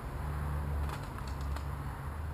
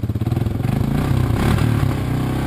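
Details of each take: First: 1986 Honda TRX200SX single-cylinder quad just started after steering shaft repair, choke partly on: steady even drone held at raised speed, no dips; idle set too high, needs turning down with a screwdriver. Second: 1986 Honda TRX200SX single-cylinder ATV just reassembled after steering shaft repair: fires on choke, picks up briefly, then holds a steady, even thumping idle; normal idle.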